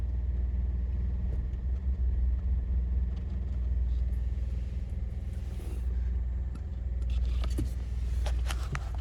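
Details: 2017 Honda Accord Sport idling in Drive at a red light: steady low idle rumble with a faint irregular rattle about four times a second; source of the rattle not pinned down.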